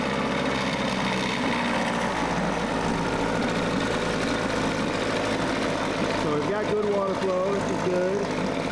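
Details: Mercury 9.8 hp 110 outboard after new water pump impeller, new lower-unit oil seals and pressure test, earlier stalled when the fuel tank ran low: steady, even buzzing run with no misfires, knocks or surging; normal running.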